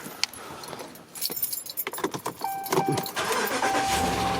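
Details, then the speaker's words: 2017 Dodge Ram 1500 5.7 L after serpentine belt and pulley replacement: keys rattle, then the engine cranks and catches cleanly and settles into a smooth, even idle with no belt squeal. "Perfect. perfectly alive."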